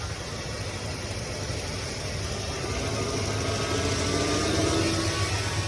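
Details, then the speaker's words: 1993 Ford F-150 V8 idling with a mild slow rise and fall in speed, still hunting a little after the throttle position sensor was replaced and an EGR-area vacuum leak clamped; surging now much less than before. "Now if you listen to this, it's not running up and down as bad, but that was a little bit of the issue."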